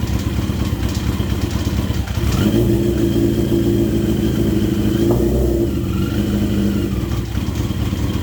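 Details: Yamaha XJ650 four-cylinder, about 40 years old, after clutch repair and leaky cam cover fix, fresh oil, warming up: fires at about two seconds, settles into steady even idle with light valve chatter, no knocks or misses; normal running.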